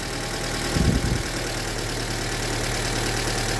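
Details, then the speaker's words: Formerly oil-starved, locked-up engine, just fitted with new rod bearings on worn journals: steady idle with a faint, light rod knock riding under it. "I mean, I wonder if it's gonna knock. Oh yeah. Yeah, it knocks a little bit."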